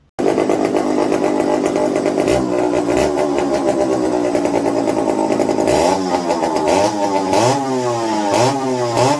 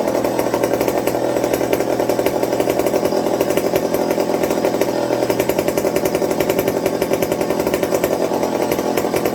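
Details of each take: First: McCulloch 55 gear-drive chainsaw, first run on a new homemade tank wick, fuel starvation issues: ragged idle, uneven rises and dips on throttle blips; fuel dribbled from carb front after turning low-speed needle, owner suspects low-speed side problem. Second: McCulloch 55 gear-drive chainsaw after fixing fuel starvation with a Scotch-Brite tank wick and a 090 carb swap: a crisp, steady two-stroke buzz at an even pitch without bogging or surging; running cleanly.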